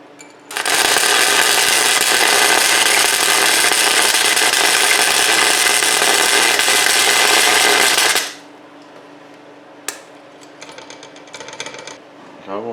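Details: Chicago Electric ~125 A flux-core welder converted to DC, after repairing a fire from overheating, feed speed turned up: about eight seconds of steady, even frying crackle cutting off cleanly, no sputtering or popping; good, stable flux-core arc, and the unit is called fixed.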